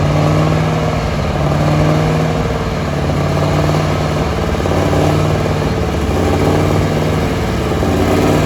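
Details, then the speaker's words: Allis-Chalmers AC 440 tractor diesel working with the loader bucket. Uneven, surging lope and rough sputter instead of a steady beat, with no black smoke. Owners suspect the fuel pump or injector. "It's got such a sputtery sound to it. >> Yeah, there's something wrong with it. Fuel pump injector."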